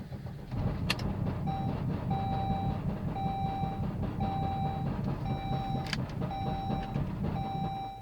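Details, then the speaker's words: Saab 9-3, cold morning start: engine catches and runs low and uneven for several seconds under a repeating dash chime, then stalls; rough cold start happens every morning, fine afterwards, cause not yet found. "stalls I tried it again turn uh does this every morning then it's fine"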